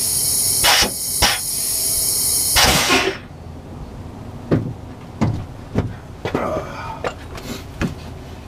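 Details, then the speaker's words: MCI MC9 bus front air brake chamber, tested with remaining brake air pressure: sharp air hiss bursts then a long rushing release dying into clicks while pushrod pin barely moves; leaking diaphragm, chamber to be replaced. "you could probably hear that on that one and you probably didn't see that pin move all that much so there's definitely there's a leaking diaphragm there"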